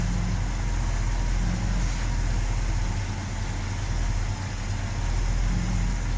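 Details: 1970 Ford F250 with 360 engine, carb being tuned, plugs cleaned and regapped to about .042 with one new, warming up: a deep, lumpy, uneven loping idle. Rough idle; owner suspects a vacuum leak, unconfirmed.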